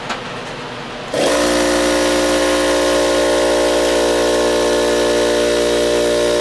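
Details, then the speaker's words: Ridgid air compressor, found for parts with reported low compression: kicks on and settles into a steady, even buzzing hum with no knocks, pumping right up to 160 psi; normal compressor running. "there you go 160 you said there's something from the pop-off valve but it looks like to me it ran just ran right up like it's supposed to"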